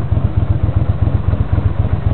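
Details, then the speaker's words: A 1982 GL500 motorcycle after a tune-up with valves adjusted idles smoothly at about 900 rpm, with a steady even beat of about seven pulses a second and no misses, pops or backfiring: normal idle. "Take a listen to that engine. That engine is perfectly tuned. If it can run at this low revolutions per minute, it means the engine is doing great."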